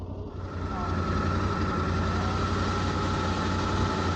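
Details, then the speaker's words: Yamaha Tenere 700 at warm idle, cooling fan running with a smooth, even hum and no rattle or shaking. This is after the fix: a mud deposit from riding in rain and mud had built up in the fan housing. "okay 101 Celsius okay it's stopped no extra rattling no extra shaking so I think it's fixed"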